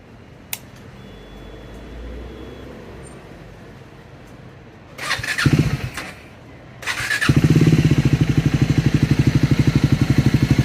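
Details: Scrambler 400 X / Speed 400 single-cylinder, exhaust and engine sound: fires up and settles into a steady thumping idle at about three beats a second; abnormal engine noise, cause unknown.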